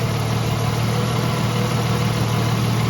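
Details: 1989 Jeep Cherokee XJ after replacing the ethanol-damaged in-tank fuel pump and line, cold start with fuel pressure restored: low steady even idle, no stumble or misfire; runs smoothly.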